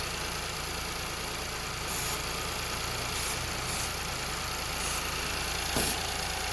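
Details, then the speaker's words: Ford Fiesta, believed 1.0-litre, with lean code P2187, idling: steady airy hiss broken by brake-cleaner spray bursts near the throttle body, engine note changes and readings go rich, so there is an intake vacuum leak on that side. "Listen to the engine changing. See the reading there, guys? I'm just spraying it this side here of the engine. Look at it. Going rich, guys. Somewhere here's a vacuum leak this side."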